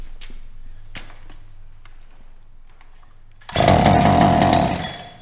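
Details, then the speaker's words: New Holzfforma 372XP chainsaw that wouldn't start and flooded with the choke on: a few quiet pulls, then it fires and roars at full throttle. Flooding is cleared by running choke off at full throttle. "so when you have a flooded implement or tool i should say like this when it's flooded you want to give it the most air possible so no choke and full throttle"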